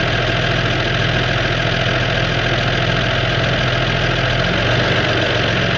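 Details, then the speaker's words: 1969 Toyota FJ55, first start in 13 years after new correct points installed: old six-cylinder runs steadily with even, busy idle and no missing beats; fumes coming into cab; healthy. "oh man that is a beautiful sound right there man got some fumes coming into the cab"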